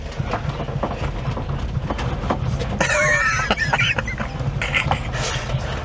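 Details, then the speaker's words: Honda Acty kei truck on test-fitted 4x100 wheels with a different ET offset: at full steering lock, rough scraping bursts with a squeal come and go over engine and road noise as the tyres rub the wheel arches. Steering stays light. "What's it touching on? Okay. So, full lock does work. That's a shame cuz it had mega lock on it. I could have got out of it before in a one. I could hear it on the wheel arches."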